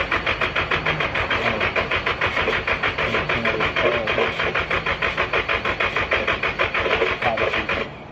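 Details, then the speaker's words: Vehicle with old fuel, quarter tank after freezing weather: even cranking at about three turns a second for eight seconds without catching. The starter or a weak battery is suspected; not confirmed. "doesn't seem like it's happening thinking maybe it's starter right I mean it might be a starter but if it's the starter seven out of ten times the battery not enough power push the starter"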